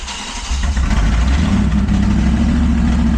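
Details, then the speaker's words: Truck after ignition repair with a brand-new coil, now starting: stumbling start into lumpy, uneven idle like a dropped cylinder; suspected misfire, owner suspects compression, valves or an incorrectly installed spark plug, not confirmed. "So, she does run and start, but very, very bad. catches on, but not great."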